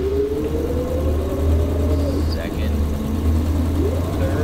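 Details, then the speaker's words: Automatic in an AMC Ambassador, pulling away from a stop light: shifts into second fine, but on the 2-3 upshift engine revs flare before it clunks into third; slipping, likely from being driven low on fluid due to a bad leak. "you might be able to hear when I pull away what the transmission sounds like it shifts into second fine but then when it goes to shift into third you can hear slippage in the motor will actually Rev up a little bit before clunks"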